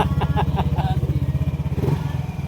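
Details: Yamaha NMAX 155 V1 after ISC sensor calibration, fixing a high idle that followed throttle-body cleaning with error 37: an even, steady single-cylinder putter at a settled idle with no hunting, and the check-engine light is gone.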